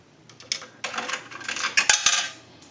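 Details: Single-slot payphone after repair and conversion, final checkout, dime inserted: coin drops in and rattles cleanly down the chute with crisp metallic clinks before settling; coin path normal.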